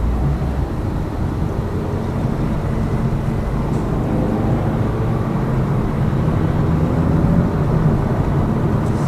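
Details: Lada Vesta Cross with AMT 2.0 robotised gearbox, full load, cruising over rough road, rail crossings and bridge joints, head-mounted camera; after replacing the front shock struts, stabilizer and engine mount the suspension knock is gone, steady low rumble.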